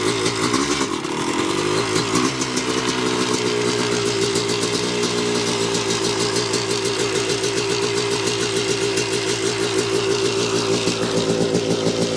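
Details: 1986 Yamaha YZ250 two-stroke, unrun since 2015, running on choke with a carb and throttle borrowed from another bike: crisp rapid crackle settling into steady idle, rising cleanly with throttle; strong, healthy running.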